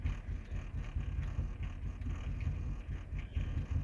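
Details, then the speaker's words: 2007 Chevy Cobalt SS after stalling and no-starting with no check engine light: barely running, with low, uneven puttering thumps about once a second. The mass airflow reading is not changing, so a failed MAF sensor is suspected. "now the car is actually running but barely it's put putting"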